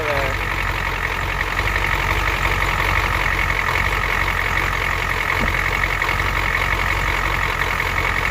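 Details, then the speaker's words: Ford 7.3L IDI diesel truck just after valve cover gasket and return line repair, recorded by the exhaust tip at idle: uneven, slightly stumbling clatter as air bled from the fuel lines still works through, running a little rough. "there's a good amount of air in there that we just got out"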